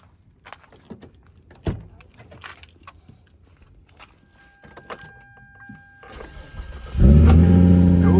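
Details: 2003 Hyundai Tiburon with no-click no-start, after cleaning corroded battery terminals: quiet shuffling, then a short crank and the engine catches at once and settles into a steady, even idle; it starts normally.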